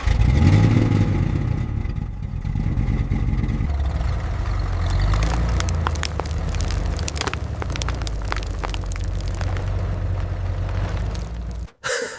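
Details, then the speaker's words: Chevy C10 V8 pickup abandoned 20+ years in the Mojave Desert, revived, with broken detached shift rod bypassed and transmission manually locked into drive: engine rumbles up under throttle, holds steady pull as the truck moves off; normal drive engagement. "All right, I bypassed the broken linkage and manually locked the transmission directly into drive. Okay, the transmission is manually engaged. It's now or never. Let's hit the gas."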